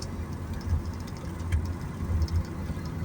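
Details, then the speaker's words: Honda Mobilio driven over rough road after a front brake service and new Heiker stabilizer links. Only low road rumble and a few soft bump thuds with no clunks underneath; the earlier odd noise is gone and it is much quieter. "bunyi aneh ya, meskipun kemarin itu belum begitu sering timbul atau muncul, baru beberapa ketika lewat jalan yang kurang baik, tapi alhamdulillah ini sudah jauh lebih baik ya, lebih senyap."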